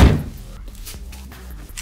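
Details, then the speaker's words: Renault Grand Scenic 3 door after modification where the rubber stop bears on the closed door; one dull thump, then only low cabin hum while the car body is rocked, no squeak. Quiet door, no squeak. "ось видно, я навіть автомобілем гойдаю і вже цього звуку нема. Ось. Нема."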